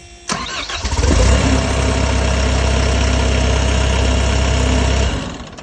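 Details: MCR diesel with the fuel pressure sensor plugged back in, jump pack connected and the lift pump running strong: a brief crank, then it catches at once and settles into a steady, even idle. Normal start.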